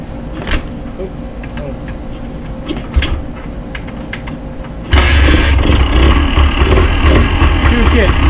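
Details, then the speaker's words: 1981 Honda ATC 250R two-stroke, started with gas turned on: after fumbling it fires and holds a crisp steady idle with no misses or rattles; runs clean; owner suspects bent rear axle. "one problem with it I think I have a bent axle on this side and the right side pink runs nice runs perfect"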